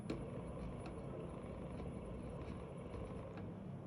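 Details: Faint irregular clicking over a low steady hum inside the car, from one of the actuators; suspected skipping actuator gears, not confirmed.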